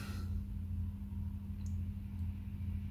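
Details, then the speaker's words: Mezzabarba Trinity 100W guitar amp after the grounding scheme was fixed, volume turned to 3 o'clock: only a faint, steady low background buzz with no ground loop hum. Ground loop gone. "here's my volume midday 3 p.m it's the same all right ground loop gone freaking awesome all right"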